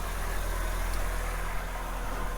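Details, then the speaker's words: 2006 Nissan X-Trail T30 2.2 dCi diesel, cold: steady but too-fast idle, around 1,500 rpm, with a rough edge and no knocks; jumped timing suspected as the cause of the high idle, with a cam/crank correlation code. "I believe on NASA engine I think the timings jumped and I think that's caused a hiatal speed"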